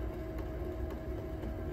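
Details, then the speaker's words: Potter's wheel throwing a porcelain cylinder: faint, even ticks about twice a second over steady motor hum, once per wheel turn, caused by a slightly loose bat. "you may hear that ticking that's cuz my bat is a little loose causes a little bit of a challenge"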